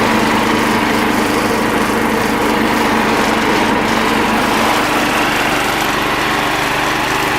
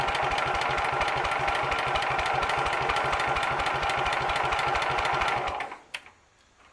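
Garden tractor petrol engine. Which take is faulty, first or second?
second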